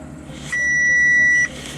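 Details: 2010 Audi S4 at idle, started after new coils, spark plugs, valve cover gaskets and fresh oil to fix a misfire: a single steady, high-pitched one-second dashboard warning chime over a low idling rumble, with a defective headlight range control noted.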